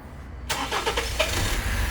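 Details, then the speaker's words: 2017 Honda HR-V 1.8 at 120,000 km, during a battery and starter test with a tester: short crank, engine catches within about a second and settles to a smooth, even idle; normal cranking and start. "pegou deu arranque Normal normal esper acentar a marcha lenta"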